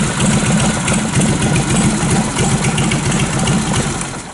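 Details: Harley Knucklehead, carbureted, at idle before shutdown: loud, steady, loping V-twin beat at a fairly even rate with no knocks or rattles. Normal idle.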